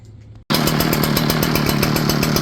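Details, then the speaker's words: Echo PB8010T backpack blower with ethanol-damaged original carburetor: catches abruptly, then raspy, uneven, pulsing two-stroke drone; runs until warm then bogs badly and runs rough, cut off hot and wouldn't restart; fuel filter already replaced. "running until it gets warm then it starts bogging bad see how rough and running"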